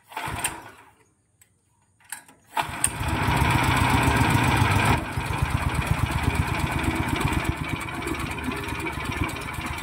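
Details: Horizontal dough mixer driven by a 9 HP General Powell CX 270 petrol engine, test run on half a litre of fuel: pull-start, brief pause, then a steady, even, heavy low thump with no knocks; sound described as smooth yet heavy because the engine is large. Normal running.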